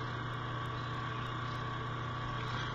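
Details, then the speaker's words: Dell Inspiron 15Z 5523 Ultrabook, about three years old: steady whirring hum with low drone and thin higher tone from a noisy cooling fan that needs replacing. "i don't know if you can hear that what's the fan starting to make some noise now and obviously it needs replacing"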